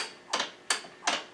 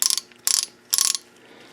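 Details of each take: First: 2010 Yamaha YZ450, top end rebuilt last year: four sharp, dry clicks about every third of a second as the kickstarter sweeps past without biting. The ratchet is slipping instead of engaging; the suspected cause is dirt packed in the mechanism, unconfirmed. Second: 2010 Yamaha YZ450 kickstarter kicked while the engine is already running gives short bursts of sharp, rapid metallic clicks as the one-way ratchet teeth slip. This is normal ratchet freewheeling.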